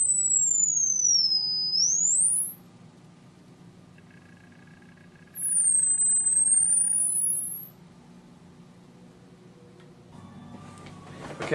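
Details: Electro-Voice T35 horn tweeter (believed 1950s-60s, dead before repair, thought to be like Klipsch K-77) after diaphragm replacement and voice-coil centering: smooth tone sweeps down and back up with no buzz, scrape or rattle; plays clean, no voice coil rub.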